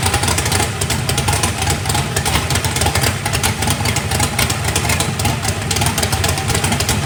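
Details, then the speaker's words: First fire-up of a freshly built 409ci small-block Chevy race engine, warming up: deep, even V8 burble at steady idle with clean blips, no knocks or ticks. Good oil pressure (oil pressure spring shimmed). Normal. "all right guys it runs it's got a good old friendship too well it is running uh sounds pretty good got good oil pressure"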